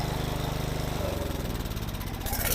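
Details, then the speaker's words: Small snowblower engine after replacing a cracked fuel line and adjusting the carburetor by hand: steady, even putter with a constant low beat, no misses or surging; running normally. "Alright, I think that's good. Seems to be running good, so now I'm going to put it all back together and make sure it still runs correctly."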